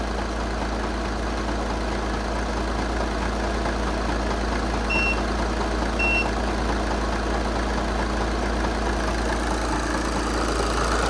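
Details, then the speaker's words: 2014 VW Jetta SportWagen TDI, 2.0 L CJAA diesel, 115,000 miles, Copart salvage listed as non-starting, warming up with the alternator tested good: steady, even diesel idle clatter with no misses, knocks or surging; normal idle. "beautiful she runs guys she runs let it warm up a little bit"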